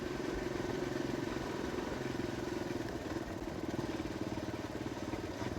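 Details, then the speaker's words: Kawasaki KLX 150 road test in fifth gear after a new RER 150 carburetor and the CDI socket loose-contact fix: steady, even single-cylinder beat under load with no stumbles or misses, where it used to stutter before the carb swap; normal running. "So nung dati nung hindi pa napalitan ng carp ay parang kumaka-jute siya. So dito wala na."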